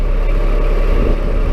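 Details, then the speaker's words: Cold-weather bucket truck idling with the PTO engaged and the block heater unplugged overnight; the hydraulic pump whines faintly over a steady idle as cold, thick fluid risks cavitation before warm-up. "And when it's this cold, hydraulic fluid's cold, PTO's on, hydraulic fluid's cold, and you can hear it in the pump, you can hear it in the idle of the engine. Now this is at idle, and she's whining just a little bit."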